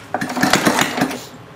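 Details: Homemade water-cooled Briggs and Stratton engine, pull start with throttle low: quick burst of puffs and clatter during the pull, then dies away; turns over but does not start.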